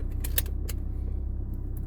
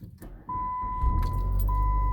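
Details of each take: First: 2006 Chrysler PT Cruiser 2.4L Turbo after spark plug change, in reverse; low pulsing idle, slightly uneven beat with light clicks, running a bit rough with vibration, no misfire or engine light; vacuum tube suspected. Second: 2006 Chrysler PT Cruiser 2.4L Turbo after spark plug replacement: short crank with fuel pump priming, catches quickly into a steady, even idle under a repeating chime, slight shake still felt, vacuum tube suspected; normal start and idle.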